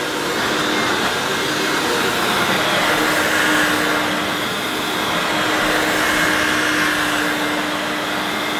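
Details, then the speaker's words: Hoover S2095 Quick Broom II mains-powered bagless stick vacuum, brand new, picking up rolled oats. Steady high whirring, constant mid-pitch tone, even airflow, no rattles or surging. Picked all the oats up: normal running under load. "Well, it's picked all those rolled oats up, so it's not done a bad job. It'll be all right for quick cleanups."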